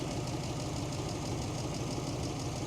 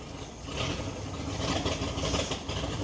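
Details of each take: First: 1941 Ford truck, old engine idling after settling down, with a mechanical fuel pump and no electric pump: a light, quick tapping rides on a rough beat, and a slight miss was suspected earlier. The tap is the mechanical fuel pump, with the lifters only faintly audible. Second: Old Ford or Chevy truck bought about 7 years ago, run on couple-year-old gas with choke partly set, cold start: catches and holds an even idle with steady low firing, no misses or knocks; needs new exhaust.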